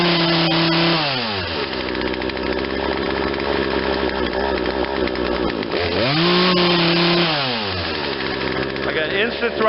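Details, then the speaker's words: Poulan Wild Thing 40cc two-stroke chainsaw with a replacement aftermarket carburetor, during tuning after the low jet was leaned out. Revs sag from a high buzz to a shaky, barely holding low idle; dying at idle, owner suspects fuel starvation. "but I think it's starving on the idle. Yeah, it's not happy on the low end now."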